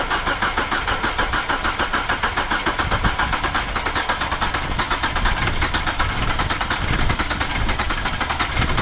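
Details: 2009 Hyundai Accent that had a dead battery, with spark and fuel verified: steady, even cranking for nine seconds that never catches; timing belt jumped a couple of teeth, about ten degrees; running fine after readjustment.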